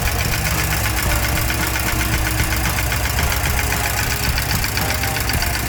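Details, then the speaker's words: 1987 Porsche 944 first started after about three years sitting, cam tower leaking oil, oil level unchecked: fast light ticking about four per second over a steady idle; valvetrain clicking, owner suspects low oil. "with a The Leaky cam Tower you can hear it's like clicking um that's probably not good"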